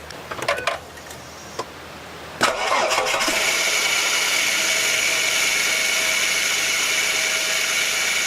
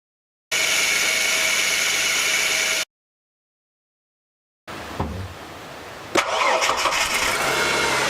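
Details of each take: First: Ford BA Falcon engine idling before top idler pulley replacement: once it fires, a steady high-pitched whirring squeal sits over the idle without pulsing, from the worn top idler pulley bearing. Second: Ford BA Falcon after its noisy worn top idler pulley on the serpentine belt was replaced: the engine fires after a short crank and runs evenly, much quieter, with no squeal or chirp from the belt. Quiet belt drive after repair.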